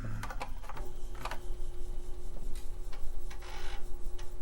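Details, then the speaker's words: TRS-80 Model I floppy drives, swapped-in second set, fail to boot after reset: irregular clicks and ticks over faint steady motor tone, seeking but never settling; owner suspects drives need cleaning, alignment, or power supply issues. "okay so the issue is those those are the floppy drives most likely need to be cleaned and possibly aligned or potentially power supply issues"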